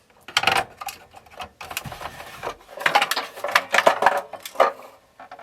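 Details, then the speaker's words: 1986 National RZX-CW30F boombox opened for repair, Tanashin TN21 decks: irregular light clatter as the unit is tipped, a small hard item sliding inside the case; owner suspects a loose battery but cannot see it. "It really sounds like a battery. Am I missing something? But I can't see whatever it is."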